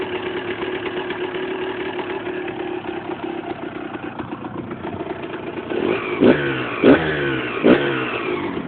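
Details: Husqvarna SM 125 two-stroke: loose metallic rattle under the exhaust note at idle, with sharp clanks on each throttle blip; engine rattle, suspected to be a loose nut on the crankshaft.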